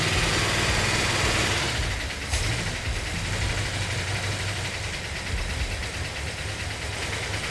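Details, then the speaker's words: Freshly built 440 Magnum V8 with new roller rockers and roller lifters, first start, good oil pressure: brisk even idle after throttle blip, sharp responsive pickup, no standout knocks or ticks; healthy, though valves may need readjusting on one or two. "wow is that responsive that sounds good we're probably going to have to readjust those vales yep maybe only one or two"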